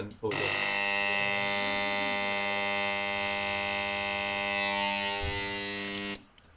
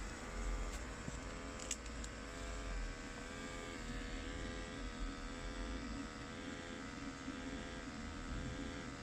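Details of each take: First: Ariston domestic boiler, brand-new shaded-pole combustion fan temporarily mounted on the combustion chamber for testing: harsh, very loud buzzing whine at one steady speed, then cut off. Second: Ariston micro combi boiler after fixing with no parts needed: quiet, even fan hum with steady low whir and no rattles or surging; running normally.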